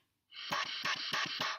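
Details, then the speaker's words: Brass instrument reassembled after cleaning and oiling, blown without the mouthpiece: choppy, hissy pulses instead of free airflow. A valve is in backwards (the second, plus another); reinstall with the number facing the player. "That means that one of my valves is in backwards."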